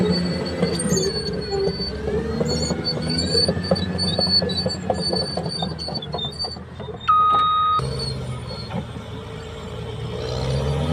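Loud high metallic squealing and screeching over the running machine with uneven clanks, typical of damaged idler and track rollers.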